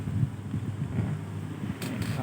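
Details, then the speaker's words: NUX MFX 10 guitar effects pedal: a steady low hum under the output, clearly caused by its faulty supplied power adaptor; a separate crackling fault is attributed to the input circuit, not only the adaptor. "Jadi permasalahannya tidak hanya adaptor kalau grotok-gotoknya ya ekonya ya. Kalau dengungnya jelas adaptornya ya."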